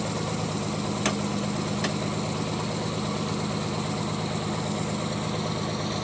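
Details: Non-turbo Nissan R33 after sitting two days cranks hard, then idles rough, stumbling and misfiring with sharp ticks until about 10 minutes of warm-up; coil packs, injectors, gasket and fuel supply were checked and seem fine.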